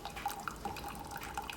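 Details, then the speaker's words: Keurig Supreme that would not power on, after tripped thermal cutoff reset, brewing 10 oz cup: soft drips and trickling with faint pump hum, air being worked out of lines; brewing normally. "I've got water going through pump is on everything appears to be working just fine there's a little bit of air in the lines that's getting worked out"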